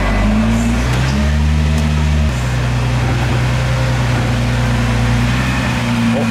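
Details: R35 Nissan GT-R at idle after flywheel housing replacement, transmission solenoid valve cleaning and anti-rotation caps fitted: steady, even low engine hum with no rattle; the earlier drivetrain rattle is gone, sounding smooth and healthy.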